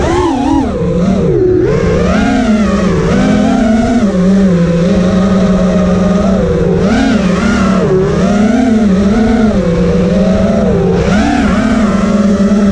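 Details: Quad with T-Motor F80 2500kv motors (owner says one bearing is bad), motor timing set to high, regular PIDs: loud motor buzz wavering and surging during hover. Oscillation is reduced but not gone; motors moderately and evenly warm, 15.3 V after 2:29.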